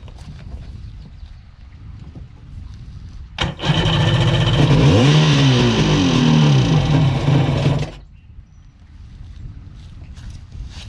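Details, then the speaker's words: Sea-Doo HX jet ski with shaved head for extra compression, first start of the day out of the water using a primer kit: catches quickly, revs with a climbing buzz, runs cleanly about four seconds; normal start. "a good start"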